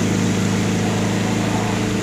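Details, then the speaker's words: Kuppet 1040603400 portable washing machine on its 5-minute spin after draining, taking off like an airplane. A smooth, even whirring hum. No shaking or rattling; the spin cycle is normal. "You spin all the way around, it'll stop. And listen to it take off like an airplane. Didn't give me any problems. It's not shaking, rattling."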